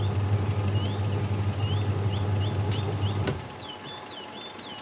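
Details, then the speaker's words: Aqua QW-781 XT twin-tub washing machine wash motor on test: steady low hum about three seconds, then drops away as the tub pauses and reverses left to right; wiring to motor intact, motor healthy. "coba ini pencucinya kita putar kita lihat ya dia harus bolak-balik sobatnya dia Muter ke kiri"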